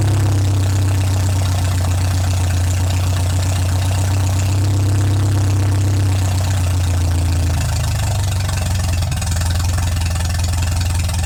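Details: MGA 1600 roadster four-cylinder under restoration, warming up after cooling system refill with low fuel (new 4 PSI cap holding pressure, not charging): steady low idle, even beat, no knocking or missing; running smoothly, healthy.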